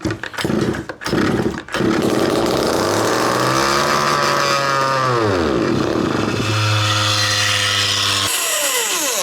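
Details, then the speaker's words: 1/5 scale RC Baja two-stroke, all carburetor needles closed after heavy overfueling: revs sweep up, hold, drop and climb roughly, burning off flooded fuel; cold, about 8°C. "It is overfueling big time. So what we do then is, also in my tuning video, I will put a link up here to my tuning video. That thing is the boss, man. I explain all of these things in there and it works like a charm. So I've closed off all the needles. I'm just going to burn off that fuel."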